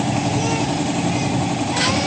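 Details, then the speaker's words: Honda XR150 single-cylinder motorcycle that would only click on the starter despite a strong battery starts after the starter relay is replaced, then idles steadily and evenly; fixed. "Ayan, okay na mga tol. Naayos na natin. Nag-start na itong motor ng ating kaibigan. Ibig sabihin naayos na natin."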